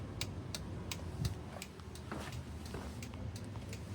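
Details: Daihatsu Mira TRXX during an Avanzato R engine swap, after rewiring, with the fuel pump disconnected and the hazards switched on. Light, even clicks about three per second; the hazard flasher relay ticks steadily and works normally.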